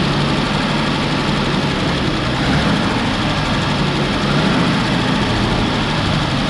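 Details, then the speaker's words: 1966 Ford Bronco, sat for years, new fuel pump, coil and distributor: uneven lumpy idle with irregular stumble; cylinder 5 low on compression, backfiring from excess fuel, timing chain suspected sloppy, timing not dialed in. "it was also backfiring because there's a bunch of extra fuel going through because cylinder 5 decided to be down in compression compared to the other"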